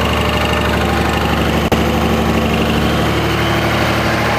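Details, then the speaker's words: 2004.5 Ram 2500 Cummins diesel: uneven knock over the clatter, roughly three a second, heard when shifting park to reverse and truck bounces, gone at idle; cause not pinned down. "In park right now, and it's in reverse. I can hear it again."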